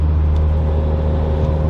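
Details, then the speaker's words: Toyota Supra cabin while driving after foam-taping the cheap plastic door panels that used to rattle and squeak over bad roads: steady low road and engine hum with no rattles, buzzes or ticks. "i think i think toyota kind of messed up putting these panels and i think they could have done it in a little bit higher quality but as you can hear there isn't a single sound anywhere"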